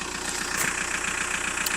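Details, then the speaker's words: Seat Toledo 1.9 TDI 110 bhp diesel at 205,000 miles with regular oil changes and servicing: steady, even diesel clatter at idle; starts on the button, no knocks or clanks, no smoke; healthy tick-over. "engine's ticking over perfectly it starts absolutely on the button there's no horrible knocks or clanks or anything coming Grim out of the engine it's not smoking"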